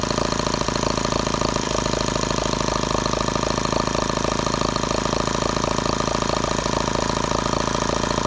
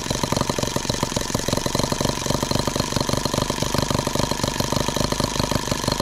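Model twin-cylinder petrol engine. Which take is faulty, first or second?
second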